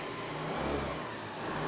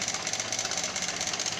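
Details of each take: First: 2014 Honda Lead 110 scooter after camshaft bearing replacement fixed a loud engine noise: the small engine revs up and settles back cleanly several times with no knocking or rattle; sounds normal. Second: 2014 Honda Lead 110 scooter engine idling after cleaning, no smoke: fast, busy metallic rattle riding over the idle; camshaft bearing noise.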